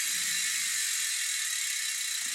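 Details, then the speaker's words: Koozer XM 490 rear mountain bike hub, 72 points of engagement, freshly laced 32-hole wheel in truing stand: bright, fast, even pawl buzz as the wheel coasts, smooth and consistent with no roughness; freehub ratchet working normally. "listen to that buzz. I flip it around."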